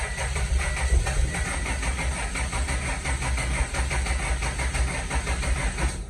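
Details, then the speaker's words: Starion/Conquest G54B project car, sitting two years, first start attempt on base ECU map after distributor install: about six seconds of cranking with weak chuffs, hisses and bumps but no start; old stale fuel in tank blamed, to be flushed. "gave it another crank got some more hisses and bumps but no start coming to find out cars been sitting for uh quite a bit of time uh two years"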